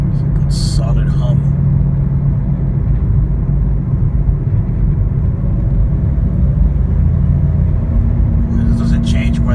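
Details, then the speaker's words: 2013 Toyota Corolla, warm at operating temperature, driving: a loud steady low roar under the car, unchanged when accelerating or decelerating and no louder when swerving side to side. Tires suspected, not the differential; tires to be checked for chop. "Drive very loud roaring noise sounds like it's coming from the tires"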